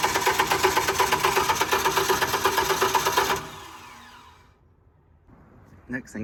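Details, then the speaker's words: Generac 50 kW propane generator bought at auction: about three seconds of steady cranking at roughly 167 pulses a minute, never catching. The low fuel pressure light went out, but no gas seems to arrive; owner suspects the propane tank may be empty. "the low fuel pressure light went out so that's good let's see nothing check that gas i don't think we're getting any"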